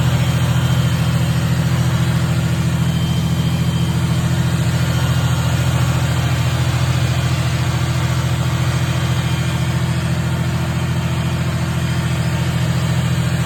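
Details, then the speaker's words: Supercharged 1990 Ford Thunderbird Super Coupe, after fixing swapped plug wires on 5 and 6: steady deep drone holding constant without hunting, but idling high; owner suspects a vacuum leak, checking with propane. "Now it runs good, but it idles up high."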